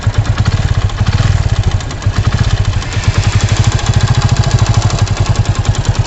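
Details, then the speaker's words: 100cc motorcycle engine, ridden hard around 90-100, before service with poor mileage: fast, even tick-tick clatter over a steady low idle thump, a mechanical top-end knock, cause not pinned down. "उसमें आप सुनिए कि bike में से, engine में से क्या cut cut cut cut cut cut की आवाज़ आ रही है।"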